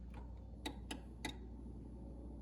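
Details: Whirlpool French door fridge icemaker module clicking, worsening over a few months: three sharp dry clicks about a quarter second apart over a quiet fridge hum; worn module, fixed by replacing the icemaker module.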